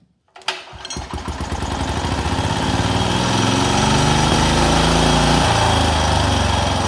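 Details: Wheel Horse RS-83 Ride Away Sr. single-cylinder engine after WICO HX magneto rebuild with new coil, points and condenser, choke held: catches after brief crank, steady even beat near 3.5 firings a second; normal running.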